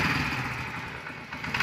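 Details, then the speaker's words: Honda CD 70 motorcycle after the spark plug was washed in petrol and refitted: it starts on the first kick and settles into a steady, even idle, picking up slightly at the end. It is running cleanly. "ये देखें बिल्कुल पहली kick पे start हो गई है आपके सामने। ये देखें अब जो है पहली किक पे स्टार्ट हो गई है।"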